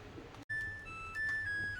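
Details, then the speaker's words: New Samsung washing machine finishing its empty calibration spin: a clean electronic tune of several high, sustained notes stepping in pitch, the normal cycle-complete chime. "there we go that must be her ready to go"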